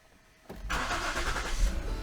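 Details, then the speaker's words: 2015 Ford Flex during a charging-system test with a battery tester connected at 12.4 V: brief quick crank, then it catches at once into a smooth, steady idle. Starts much better than before. "Okay, so you heard the vehicle start a lot better that time, which I like."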